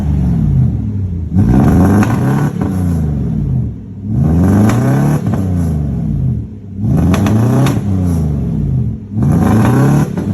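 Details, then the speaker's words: 1995 Mercedes S500 W140, warmed up: idle lopes and stumbles in uneven surges like a two-step limiter; misfire, cause not pinned down. "I let it warm up and it's kind of running like garbage but it sounds like a two-step"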